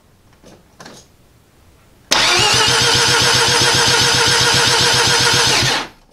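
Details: Mazda FB RX-7 with Turbo II rotary engine, first start attempts before ignition timing is set: starter spins at a steady even rhythm for nearly four seconds with no catch or firing, then stops; cranks but won't start, spark being checked.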